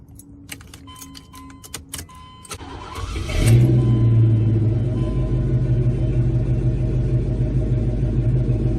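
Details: 350 V8 with a new transmission, alternator and battery and Flowmaster exhausts, started from cold. Keys jingle, then it cranks and catches into a deep, steady burbling idle with a throaty exhaust note and no knocks; normal cold start and idle.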